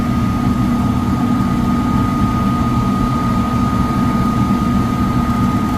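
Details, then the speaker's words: Likely downstairs furnace, fan-not-turning-on complaint: blower motor runs with a loud steady roar and thin constant whine; tech thinks bearings sound clear but are loud on startup, suspects overamping, and will check the capacitor. "I think the bearings sound clear, but they're pretty loud on startup. We're gonna check the capacitor."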